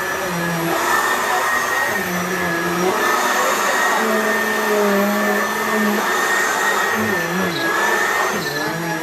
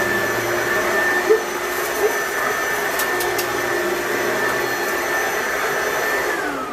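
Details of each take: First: Simplicity Supralight upright vacuum on level 2: steady drone with a high whistle and short intermittent chirps that are not normal. Leaves accidentally sucked up may be caught in the airflow path. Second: Riccar/Simplicity Supralight commercial upright vacuum on setting 2, the carpet setting with bristles active: steady, high-pitched motor whine with brushroll hum and no rattles or surging; this is the normal sound.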